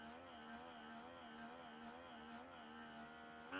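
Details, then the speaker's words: Aromis diffuser with a newly replaced air pump motor, tested before refitting the top by covering the outlet with a thumb; steady electric buzz whose pitch bends and wavers as pressure builds, showing proper pressure: normal running. "you hear it pressing out and the motor changing frequency while you push down. That means you've got pressure."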